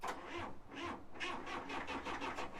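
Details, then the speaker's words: 1970s Caterpillar D3 LGP dozer, Caterpillar 3204 diesel, sat over 25 years. It barely cranked on 12 V; switched to a 24 V jump pack, the starter beats about three a second with no drag; strong cranking. "cranks way better so we're going to give it a little bit of fuel"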